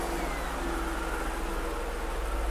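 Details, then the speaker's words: Mercedes S55 AMG V8 started after second engine teardown with all intake valve springs replaced, cold night, no leaks found; steady even idle with smooth low rumble, no ticking or knocking; healthy. "Okay, very carefully, let's look for some leaks. She sounds good, doesn't she? Well, she sounded good last time, too."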